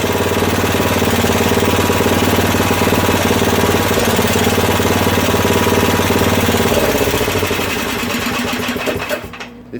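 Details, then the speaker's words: Craftsman rear-engine tractor, 13hp Tecumseh OHV, while tuning the idle: busy, uneven chatter with a loose, hunting beat and a little clatter; rough running, cause not pinned down. "idling well it's adjusted enough for now i hear a little clatter"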